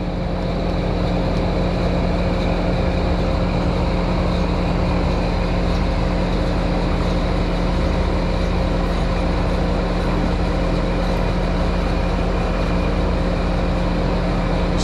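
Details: American Standard system outdoor condenser, pressures okay: steady hum with a rough gravelly whir over the fan; condenser fan motor bearings worn and going out.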